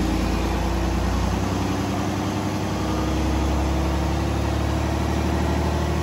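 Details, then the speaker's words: New FPT Cursor 16 1000 hp marine diesel, inline-6 15.9 L common rail: deep steady drone rising slightly in pitch as revved from 600 rpm idle, smooth and even with no knocking; normal running. "they're a very quiet engine for a 16 litre motor right i'll give it a rev so you can have a listen he's running the life is at 600 rpm with the curse 16."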